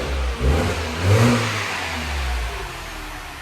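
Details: 2009 Mini 1.6 petrol after cleaning a Vanos solenoid blocked by metal filings: it picks up cleanly through quick blips and settles back without stumbling or hunting. It now revs freely and is healthy.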